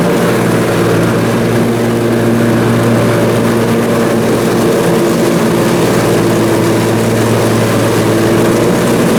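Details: Briggs & Stratton Intek M44 twin engine after a full twin-carburetor tear-down and clean: steady, even drone at constant speed with no hunting or surging; runs way better and holds revs. Normal running after repair.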